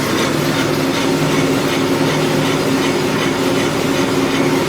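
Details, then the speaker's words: Scion FR-S/Subaru BRZ on a lift during a used-car inspection; steady rough grinding drone with faint hum as the rear wheel spins, louder at speed; likely a worn rear wheel bearing, though a differential noise is not ruled out. "pretty hard to diff differentiate the noise but it does seem like it does seem like it's the wheel bearing especially when you uh you know you you go fast in the it get obviously it gets way louder"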